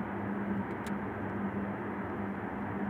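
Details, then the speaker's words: Argo Milo Plus heat-pump air conditioner running early morning, 8°C outside, 18°C indoors, set to 22°C. Steady low hum with a smooth airy rush, slightly more noticeable in the quiet room; normal running. "si sente il rumore che fa la pompa di calore della mattina si sente un po di più perché l'ambiente molto più silenzioso"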